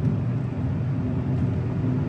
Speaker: And it's still got a chuggy, bad idle when you are in drive or reverse. If you've got it in park or neutral, no load, it idles pretty good, but you put it in drive and reverse and it starts chugging and slightly spark knocky.